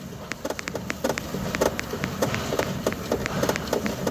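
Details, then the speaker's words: Renault Kangoo, right-side thumping over potholes and bumps though alignment and front end checked fine: sharp hollow clacks, four or five a second, as the part is rocked by hand; suspension mount found torn loose, suspected broken. "Yani sağ tarafta çukurlarda tümseklerde güm güm vuruyor ülkemin güzel insanları"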